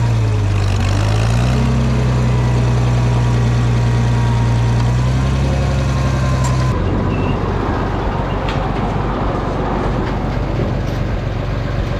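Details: Farmall 460 tractor, rebuilt engine, after electronic ignition upgrade, in fourth gear: strong steady drone climbing with throttle then easing under load, no misfire or stumble; owner suspects timing advance slightly off.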